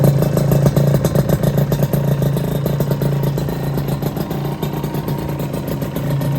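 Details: Honda LS125 two-stroke single, after full engine rebuild, started cold without choke: catches and settles into a loud, raspy, popping idle around three beats a second, no knocks or rattles; normal cold start and idle.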